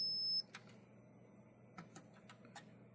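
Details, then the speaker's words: Galaga arcade PCB with a known working CPU board fitted, pressing reset while probing pin 26: one clear high beep for about half a second, then quiet apart from light clicks, the board's normal boot sound. "This board makes a little sound when it uh boots up like a lot of Galagas do."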